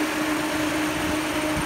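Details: Peugeot 308 overheating with no fan control from the ECM: the radiator fan is forced on, a steady whooshing hum with a constant tone over a quiet engine, running flat out, which cooled the engine down; fan control confirmed as the fault.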